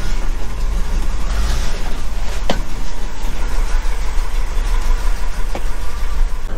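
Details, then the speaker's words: Truck with FE-block 352 V8 and three-on-the-tree manual, cold start after choke adjusted: deep, steady, even rumble with no knocks or misses, purring; healthy cold idle. "there we go beautiful nice Fe block 352. she's purring"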